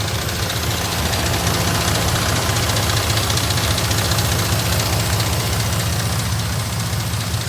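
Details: 2002 Dodge Ram 4.7 at idle before repair: fast loose metallic timing chain rattle; replacing chains, guides and tensioners fixed it.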